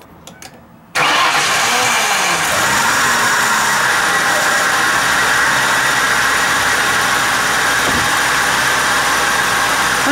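After a brief crank the engine fires at once and settles into a steady, even idle: a healthy start.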